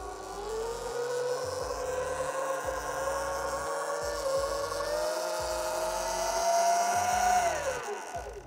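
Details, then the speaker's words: SUR-RON Light Bee electric bike crash/tilt sensor demo: steady motor whine rises under throttle, then abruptly winds down as the tilt sensor cuts power beyond a set angle; an error appears and the bike must be switched off and on. "und ihr seht ab diesem Winkel setzt der Sensor ein und der Motor geht aus"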